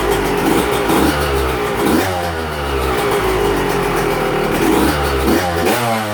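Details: Yamaha YZ125 two-stroke, first fire-up after a cracked cylinder was replaced with a replated one, on choke; loud crisp revving rising and falling smoothly with throttle, no misfires; normal running.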